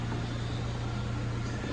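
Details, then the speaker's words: Ford Fiesta Titanium automatic idling: a steady low idle hum, then a brief motor whir as the electric mirrors fold in cleanly at a button press. Normal mirror folding. "It's got like electric mirrors and all that, so you just press it and they come in."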